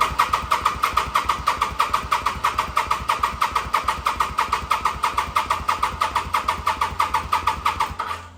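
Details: 2005 Kawasaki VN800 at about 130,000 km, first start in nearly 10 years out of storage, old petrol, oil unchecked, on a charged battery; steady starter churning about three beats a second for eight seconds, never catching; cranks, no start, cause unconfirmed.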